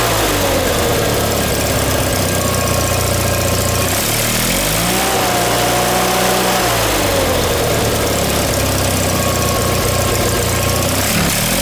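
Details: John Deere 318 twin-cylinder engine after reinstall with a reworked manifold (old one caused surging), new plugs, wires and oil change, shrouds off; even steady idle holding speed without hunting or surging, running good.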